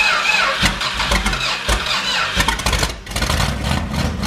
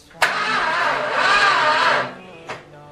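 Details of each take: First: 1978 motorhome 440 big-block V8 on engine run stand for 1974 Plymouth Cuda, not run in years, first start: catches and settles into a strong, even run with steady beat, no knocks or misses; healthy. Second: 1978 motorhome 440 big block on an engine run stand for a 1974 Plymouth Cuda, first time cranking on 12 V: the starter labours about two seconds sluggishly and never catches; a weak or dead battery is suspected.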